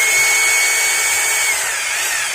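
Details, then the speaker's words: Maktec MT870 rotary hammer drill that won't drill concrete, switched to concrete (hammer) mode: smooth, high motor whine that slowly sags, sounding the same as drill mode, with no impact blows. The hammer action is not engaging. "the sound, it's the same there's no change It should be in drill mode bi hope it sounds smooth and for a concrete drill the sound is rougher"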